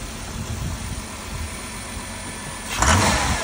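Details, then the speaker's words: 2003 Dodge Caravan at auction, started on its own and moved backward and forward: quiet, even engine running with no knocks or ticks, then a clean, smooth rev near the end; sounds pretty good, normal running. "Actually sounds pretty good."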